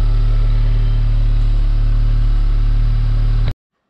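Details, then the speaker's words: Audi S3 8V after fitting Racing Line inlet and outlet, heard from inside: steady even low idle, no knocks, ticks or hunting until switched off; no difference from stock at cold-start idle; normal. "Ça va, en tout cas de l'intérieur, le bruit change pas vraiment. Alors j'entends pas de différence non plus à l'arrêt, au ralenti, avec le démarrage à froid."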